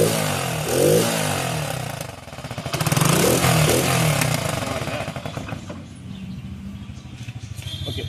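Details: Motorcycle: engine catches, revs up and down cleanly, then settles to a steady, even idle with no misses or knocks; running normally.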